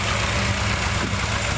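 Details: Dodge Challenger pace car V8 on self-tuning EZ-EFI, ignition timing set. Fuel pressure is 43 with the engine off and drops to about 40 running. Steady, even low rumble as a smooth fast idle settles, no knocks or misses: normal idle.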